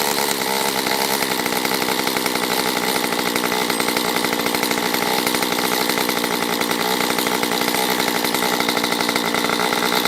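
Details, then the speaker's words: Stihl MS194T chainsaw after fuel-issue no-start fix, carb richened on low and high, now up to temperature and oiling the chain: steady crisp high-pitched buzz, no surging or stumbling; normal running at operating temperature. "Alright, that's up to temp, and it is oiling, so I think we're ready for a little test."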